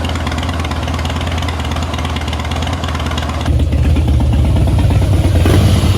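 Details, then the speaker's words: 2011 Harley-Davidson Heritage Softail after three years of storage, running after a failed fuel pump was replaced and fresh fuel added. It holds a steady, loping V-twin idle, then revs a little harder, firing evenly without stumbling; it runs properly. "starts now runs good uh put some good fuel in it and uh should be good to go for a little while anyway"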